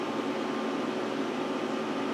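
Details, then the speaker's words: Power Mac G5 Quad hanging on first boot: loud steady rushing air with a faint constant tone; fans stuck at full speed, owner suspects a kernel panic; boots after removing four mismatched memory sticks and moving the other pair. "sometimes I've seen these Maxwell they'll actually crash at this point and the fans will kick up like this one did but it'll just keep spinning like that and won't actually tell you anything"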